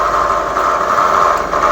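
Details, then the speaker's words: Honda New CB150R idling after kick start (weak battery): loud, abnormal tiger-like droning hum from a bent crankshaft spinning the flywheel magnet off-centre, after a poor earlier repair with a welded balancer. "Coba kita dengar suaranya kira-kira teman-teman ada yang bisa tebak ini kenapa suaranya seperti dengungan harimau kira-kira gitu dan ini tidak normal"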